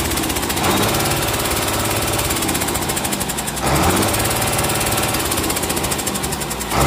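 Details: Komatsu S6D125 six-cylinder diesel test-run after general overhaul (crankshaft, liners, pistons, conrods, bearings, pumps, turbo, FIP, nozzles): steady, solid clatter with a few brief lifts in speed, even and healthy; normal running.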